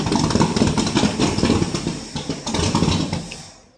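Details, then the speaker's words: 1967 Ford LTD, 390 FE 2-barrel V8, first start after 12 years on 12-year-old gas, cranked at floored throttle: stumbles and sputters then dies, loading up on fuel and smoking; known carburetor problems, fuel delivery from tank questioned. "Whew. She's loading up on fuel. I wonder if it's getting any fuel up to it from the tank."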